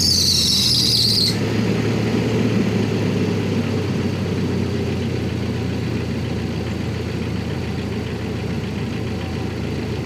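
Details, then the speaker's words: Jeep Wrangler TJ 2.5L idling just after new spark plugs were fitted and the plug wires refitted, intake still off: after a brief start-up hiss it settles into a smooth, steady low idle with no misfire; running fine. "Seems to be running. Sounding pretty smooth as well."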